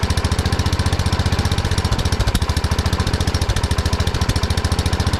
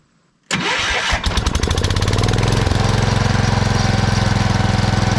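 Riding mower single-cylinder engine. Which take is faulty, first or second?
first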